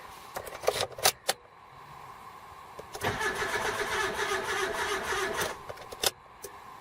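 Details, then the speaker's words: Car after fitting a rebuilt replacement starter: a few clicks then about two and a half seconds of slightly uneven cranking that stops without firing; engine sounds like it has a sticking valve. Uneven cranking noise. "the engine sounds like it's got a sticking valve that started sounds a lot happying yep engine got a sticky valve now"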